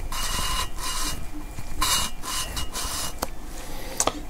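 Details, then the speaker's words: Valve lapping on a 20V cylinder head, small valve, small side of lapping tool, mic held close: gritty rasping grind in short back-and-forth bursts, loud at first and fading as the seat mates; seat still rough, not yet mated. "It's going to hear a really loud grind noise, and then it's going to get really, really subtle and eventually go away almost completely."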